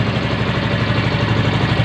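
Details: Yamaha Mio M3 125 scooter after repair of a rattling engine that had run out of oil, con rod about 50% worn, crank near play: smooth, even idle with steady pulses, no clatter or top-end rattle; rear wheel wobble noted.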